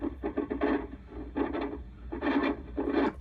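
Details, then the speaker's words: Early-1990s Astatic D-104 lollipop CB microphone; scratchy, crackling bursts through the radio with each push-to-talk press, from leaf switch contacts oxidized by sitting unused; crunchy push-to-talk switch from oxidized contacts. "what happens is you get a really scrunchy audio so listen to this"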